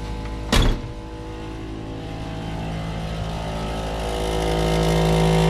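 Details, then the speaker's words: Plymouth Superbird with aftermarket Vintage Air climate control: after a click, a loud steady droning hum rising slightly in pitch from the vacuum pump; it holds vacuum and works, just loud, replacement with a quieter pump considered. "You hear that noise? It had vacuum. It's working. It's just that it's so loud. We could just probably replace the pump with a nice quiet unit."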